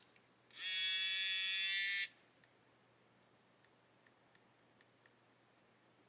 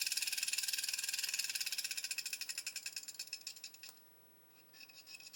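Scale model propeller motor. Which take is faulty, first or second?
first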